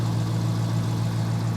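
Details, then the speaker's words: 2019 Dodge Challenger Hemi, 5.7 L V8, about 70,000–75,000 miles: a deep, steady idle burble with an even low throb and no ticks or knocks. It runs well. "it dropped its valve seals and it was a big pain in the you know what but this one seems to be running really"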